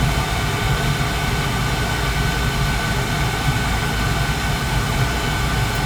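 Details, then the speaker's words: Carlin gas conversion burner that was tripping its safety reset; a dirty flame sensor, gas valve, motor or control are suspected: smooth constant low roar with no surging or cutting out, running smooth for now; normal burner operation. "but right now it's it's running smooth okay you hear it"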